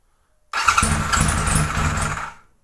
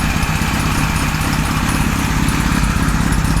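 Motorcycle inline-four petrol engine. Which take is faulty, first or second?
first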